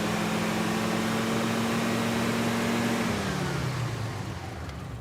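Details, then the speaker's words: Engine after fixing the distributor advance, set at 9 degrees initial timing, revved: held strong and steady at high revs, then easing off smoothly, about 27 degrees total; advance working properly. "Okay, now we've got 9 degrees initial. Go ahead and rev it up. More!"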